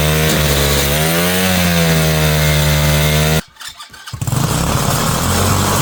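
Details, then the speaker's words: Mini bike single-cylinder engine, possibly new and breaking in, just wired and started: buzzes hard at a high wavering pitch, cuts out briefly then picks back up; revving far too high, original carburetor would not adjust, later replaced. "okay so I spent a lot of time I'm dealing with this thing trying to get this thing to stop revving so high"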